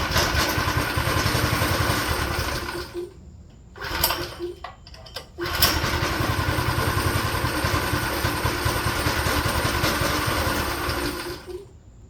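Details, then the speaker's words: Go-kart small engine sputtering unevenly, nearly dying twice and catching again, hunting irregularly on stale, varnished fuel. "I started it up uh the other day like maybe yesterday or the day before and it only runs in start and when we unscrew this you can see that it's got orange Fuel"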